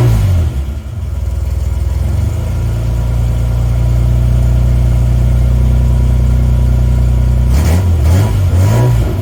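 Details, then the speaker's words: 1980 Reliant Scimitar GTE SE6A restarted after sitting over a month: catches and settles to a steady idle, then a couple of clean rev blips; even, healthy exhaust note, though new fuel lines are still needed. "Okay, before I end the video, I'm just going to do one more start up, this time just to hear the exhaust note again before we shut her down and go and buy those all-important fuel lines."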